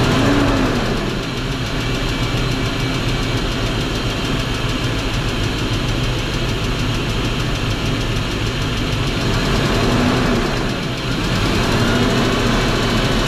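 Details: BMW X5 4.4i V8 at steady idle with a faint, uneven tapping riding over it, about four per second; engine knock, owner suspects a connecting rod bearing but unconfirmed.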